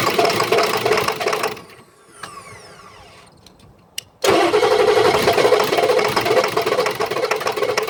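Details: Ford F350 no-start: the engine cranks with an uneven knock about three times a second, drops out, then cranks again without firing; cause unclear.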